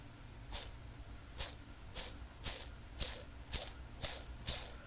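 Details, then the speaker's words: Timing belt idler pulley from a 32-year-old Toyota Corolla AE86, spun by hand; gritty, dry rasp about twice a second, growing with each turn; worn idler bearing, replaced with new pulley, spring and timing belt. "yeah, this went bad. So, new one of these, new spring, and a new timing belt."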